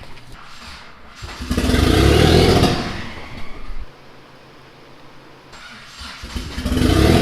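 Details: Mitsubishi 3000GT VR4 twin-turbo 6G72 V6, new engine first start: revs unevenly, sags and nearly dies, then picks up; won't hold idle; owner says timing way out, suspects something unplugged, not firing on all cylinders.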